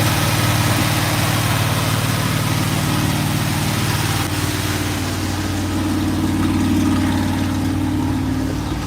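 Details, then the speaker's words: GMC truck V8 at first start: steady low rumble with an even, mild pulse, healthy normal idle; small exhaust leak noted, headers around 300, thermostat opened, oil pressure good. "oh yeah we're in good shape she farts like a kitten I got an exhaust leak to fix sweet"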